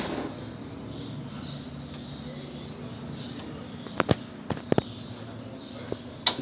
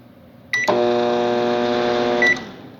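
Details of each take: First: Microwave that was noisy and not heating, after replacing the capacitor and diode, fan disconnected because it vibrated: steady low even transformer hum, no harsh buzz, then handling clicks; normal operation. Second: Microwave that makes noise and won't heat, running with the magnetron plug disconnected: a beep, then a loud harsh buzzing hum, pointing to a short in the high-voltage diode or capacitor; both to be replaced.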